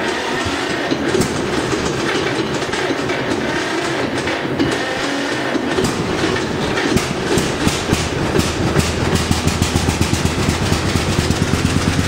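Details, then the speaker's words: John Deere A tractor with number two plug wire dead, no spark on right side: lopsided chugging pops quicken as it warms, running on one cylinder; dead cylinder misfire. "see if i can get her started up here and you can hear how she sounds on one cylinder"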